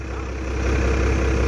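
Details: 12-valve Cummins dually with new OEM fuel pump, odometer 235, started for the drive to work: deep even diesel clatter building to a steady loud idle with no misfire or hunting. Normal idle.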